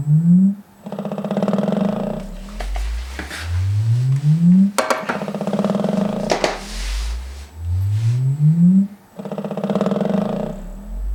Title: Velodyne DD 15 rattling noise